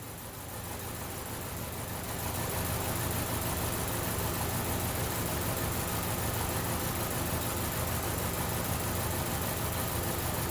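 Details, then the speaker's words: 2012 Chevy Cruze with flashing check engine light: uneven, stumbling idle, shaking badly, with a loping low pulse about three times a second; misfire on cylinder number two persists. "go get you shot attached my misfire on number two is still going okay so at this point in time we're going to have to do something different"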